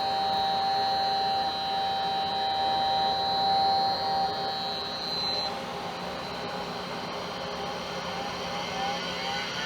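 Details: 1987 Compaq Deskpro 286 IDE hard drive powered on: steady high whine of the drive motor holding pitch, then dropping away after a few seconds as if spinning off; abnormal, unhealthy spin-up noise.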